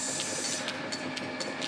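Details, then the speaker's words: Newly fitted jointed clipper belt on the cone pulleys of a Lorch lathe: light click about four times a second over a steady hiss, evenly spaced as the belt turns; normal jointed-belt joint click. "We've got a nice healthy click there. You're going to have to live with that in my videos. I don't mind the sound."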